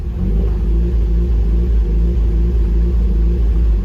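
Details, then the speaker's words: Car in a workshop, lambda reading maxed lean at 199 versus about 1 specified, new dealer-installed wiring harness: deep, uneven idle with an irregular low thump about every third of a second, evening out then dropping out; fueling issue suspected, possibly injector wiring. "as i let it idle there for a minute it actually goes right and then it drops out so we definitely have something fueling related"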